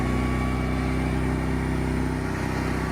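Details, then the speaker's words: Genmax GM10500iETC tri-fuel inverter generator just started on propane, running wide open: steady, low, even drone with a constant beat and no knocks or surging. Normal, smooth running. "So far sounds great. Not bad for a larger unit."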